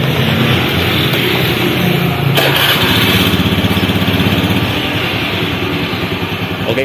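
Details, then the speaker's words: Honda Beat FI scooter restarted after cleaning fuel pump filter, pump pressure now 40; steady even putter at idle with regular beat and no misses; fuel delivery good. "jadi begitulah ya motor sudah hidup kembali"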